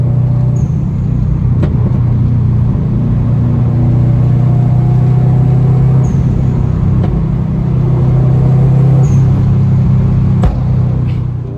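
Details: 2008 Subaru Impreza STI hatchback, modified: deep even aftermarket exhaust burble at steady idle, loud rumble, no knocks or misses; engine sounds healthy.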